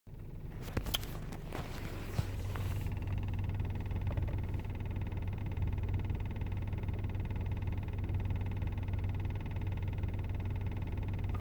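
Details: VW Golf Mk5 GTI petrol engine with 200,000 km, idling with a low, uneven knock repeating about one and a half times a second; the cause is unknown, engine knocking at idle.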